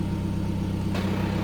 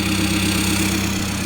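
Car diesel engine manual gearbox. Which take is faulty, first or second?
second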